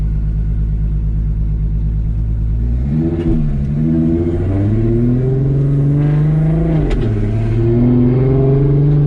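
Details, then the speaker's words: Bone-stock 3.2 VR6 with a 79mm turbo, swapped into an RS3, now on a smoothed-out base file and a little boost. It idles and drives with a deep, even note and clean pulls, no stumble. It sounds like a VR6 now, where before it was very rough. "so now the car actually idles and drives and sounds like a vr before it was so rough"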